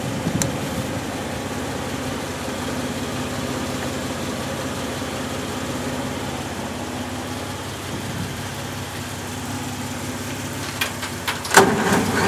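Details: Cold 1965 Jeep CJ5 just fitted with an XF Falcon electronic ignition: uneven, lumpy idle with occasional stumbles; it floods, owner suspects fuel supply or carburettor issues; rough idle.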